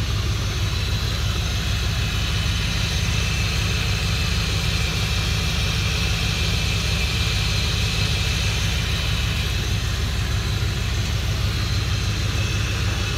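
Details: 2003 Dodge Ram 1500 5.7L Hemi 4x4 just after a radiator replacement (it had been overheating with no cabin heat), at about 20°F. A deep, steady V8 burble at idle with no knocks, misses or surging while checking for leaks.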